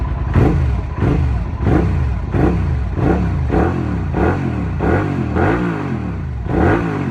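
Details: 2008 Suzuki SV650S twin with performance pipe, cold start and idle; deep loud exhaust blipped about every two-thirds of a second, each rev rising and falling cleanly: normal idle and revving.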